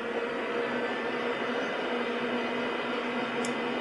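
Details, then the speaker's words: PC with a Ryzen R7 1700 overclocked to 3.9 GHz, cooled by a Deepcool Gammaxx 400 with dual fans, with case fans turned down. CPU fans at about 90–100% speed give a steady airy rush with a faint hum and no rattle or ticking. Normal high-speed fan noise. "so there's there's not much noise coming from them and by as you can hear it's it's not too bad actually"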